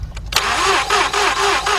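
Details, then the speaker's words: 2006/2007 Mazda 6 V6 that cranks but won't start, cranked with a hose in a plug hole to feel compression. Quick, uneven cranking with no firing; two cylinders show slight compression, one is dead. Engine judged no good. "Notice that? Not a damn thing came out of here. Those two showed a little bit of signs of some kind of compression, but that one dead. This engine's no good."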